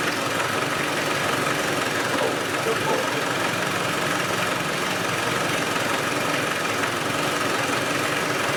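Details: Land Rover 110 diesel idling with the valve covers off and oil reaching the top end: steady, even clatter under the valve noise with no misses or stumbles; compression appears fine.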